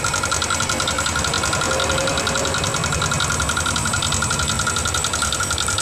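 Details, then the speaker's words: Yamaha NMAX 155 (new model) idling with CVT pulley and roller housing removed to rule them out: harsh, rattly clatter over the idle with fast metallic ticking from the top end, traced to the engine's cylinder head; worn rocker arm. "suaranya cukup terdengar kasar pada bagian dalam mesin jadi di sini bisa kita katakan bahwa suara kasar itu berasal dari pada bagian mesin"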